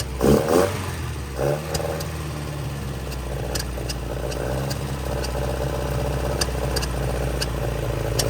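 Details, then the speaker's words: 1966 Volvo Amazon 122 estate, abandoned and being revived: engine revs roughly with sharp irregular pops every few seconds under throttle; backfire while running, suspected lean, possibly running out of fuel. "Listen to this sucker purr. I think it's a lean backfire."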